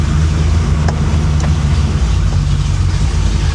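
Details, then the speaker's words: 1966 Chevrolet Impala V8, salt-water flood car rebuild, idling down to about 1,000 rpm: deep, even burble with no misses or knocks, sounding happier; smooth, healthy normal idle. "She's idle down to 1,000 RPM. That's nice."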